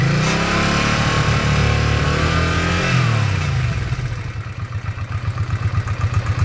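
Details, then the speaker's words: 1986 Honda Shadow VT500 liquid-cooled V-twin, 27,000 miles, warmed about 5 minutes with choke off; picks up cleanly, holds revs, settles to even lumpy idle. Cold, it has a slight throttle issue: normal throttle response when warm. "so you can see once it warms up I've got the choke off now once it warms up seems to do just"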